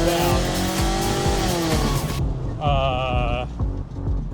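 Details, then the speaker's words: 2005 Scion tC 2.4 L four-cylinder, a formerly quiet car. The exhaust pipe after the header cracked when all four motor mounts failed, giving a loud raspy blat that rises and falls with revs; exhaust fumes enter the cabin when stationary. "I like the hole in the exhaust Sounds pretty cool."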